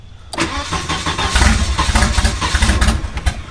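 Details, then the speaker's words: Big-turbo wagon engine on newly wired Microsquirt standalone harness, weak spark fixed with added 1k resistor, first start; cranks and catches in ragged coughing bursts, won't idle; sputtering on start, fuel pump and timing to check. "let me flood clear it while I crank it just in case where is it is it lighting yeah do you get a reading off but because I keep sputtering"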